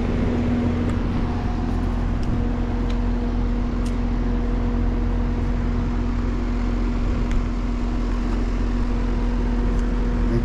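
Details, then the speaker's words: Outdoor condenser unit on a no-cooling call (thermostat set 67, reading 87): steady electrical hum with no start-up surge, one bump as if trying to come on; compressor locked rotor, humming but not starting. "that sounded really weird like it bumped one time like it tried to come on"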